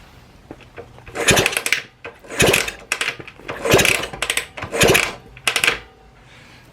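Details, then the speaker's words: 1969 Honda CL160 after rebuild, kicked over, likely in neutral, with spark plug in but ignition and coil not yet fitted: five firm, even chuffs; compression sounds good. "sounds like it's got good compression"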